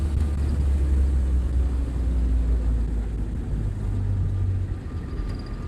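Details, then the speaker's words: Willys jeep, 1943-style, L134 four-cylinder, driving slowly: steady low engine drone with faint even whine of radiator fan spinning, the characteristic L134 buzz; normal running. "that gentle wine you can hear the radiator fan spinning around and it makes a particular buzzing noise of the l134 engine"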